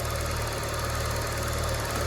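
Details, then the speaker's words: Used car idling in the morning, no throttle: steady even low hum, no misses or rhythmic knocks; engine settled and healthy, oil unchanged but within normal limit. "k ya, tanpa injek gas, tanpa apa, mesinnya oke ya."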